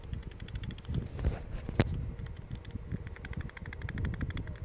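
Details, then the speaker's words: 7.3 bearing: loose, gritty rattle with rapid uneven clicks from excess play, a worn bad bearing. "That's definitely a war bearing. And listen to this. I hope you guys can hear that. That is the sound of a bad bearing."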